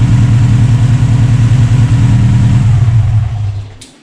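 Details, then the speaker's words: Subaru turbo four started on a boost pack with the airflow meter disconnected after earlier idle trouble and a metallic knock up top. Lumpy, uneven idle and revs, then it dies away. Rough running. "There you go. As I said, with the airflow disconnected, it does it to the run."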